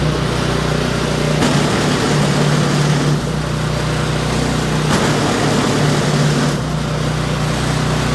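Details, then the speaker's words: Toro Power Clear 721E electric-start snow blower, after ultrasonic carburetor cleaning and rebuild, fresh fuel and oil checked (previously wouldn't start or stay running): steady low drone at constant speed, slight even pulsing; runs smoothly and healthy. "there you've got your Toro Powerclear 721E. How to clean the carburetor on it, get it back up and running if you got bad gas in it, or if it's all gummed up because of the ethanol."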